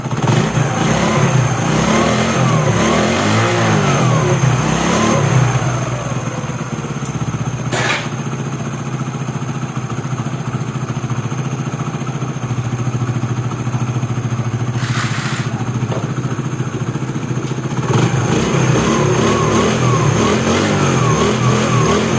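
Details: 2016 CD70 single-cylinder motorcycle after timing chain replacement and cleaning: idles and revs smoothly with no chain rattle, over background music; earlier poor pickup and starting noise blamed on the timing being out.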